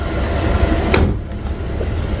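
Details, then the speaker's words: 2011 GMC Acadia at idle after replacing the purge valve; steady low hum with no more burbling or misses and no more excess exhaust smoke, one door clunk; normal idle after repair. "just the idle itself sounds a lot better and before there was kind of a burbling sound all the time no more burbling sound"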